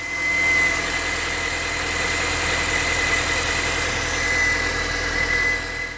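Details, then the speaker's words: Mini Cooper S R53 petrol engine idling: faint busy rattle under a steady high whine, heard on the right side, from a worn timing chain tensioner, replaced preventively via the right wheel arch plug. "The timing chain tensioner is a wear pad that can be heard on these engines when it's not working properly. You can hear a slight rattling noise on the right side of the"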